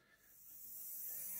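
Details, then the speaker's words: Hornby J15 model locomotive motor running free without worm gear, still very noisy after an hour's running: thin high whirring buzz; armature or flywheels suspected badly balanced, not confirmed. "It still seems to be very noisy. I can only think that the armature, or maybe the flywheels or something, is badly balanced."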